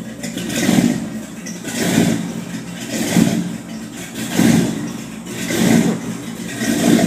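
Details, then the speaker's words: 1979 Ford with 460 V8, not fully warmed up, after patching exhaust leak with a sleeve: deep exhaust rumble swelling about once a second, no puffing or ticking, normal cold-engine note with no leaks. "she's not quite warmed up but that sounds pretty cool Sergeant"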